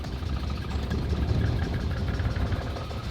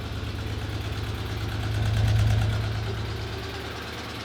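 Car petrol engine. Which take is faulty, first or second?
first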